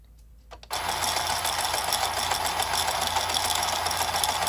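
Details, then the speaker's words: Early-1970s battery-powered Shake Rattle and Roll dice machine whose motor had been stuck, freed by working it: after a click the small motor buzzes up and keeps a quick, even rattle of three or four a second; running properly. "so it does look like the uh just the uh motor was having troubl"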